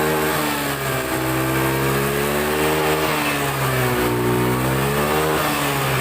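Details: Honda Beat FI scooter that sputtered and died, suspected weak fuel pump; with the pump unplugged and fuel fed from a hand-pumped, pressurised IV bottle, the engine revs smoothly through several throttle sweeps without stumbling or cutting out.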